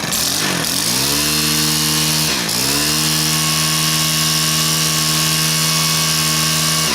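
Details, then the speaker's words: Stihl KM130 two-stroke after cleaning debris from the carburettor main jet: revs up crisply twice and holds a steady high, even buzz without stumbling or surging; now runs perfectly fine, normal running. "see what happens this time must have just been something in that mean jet cuz it's perfectly fine"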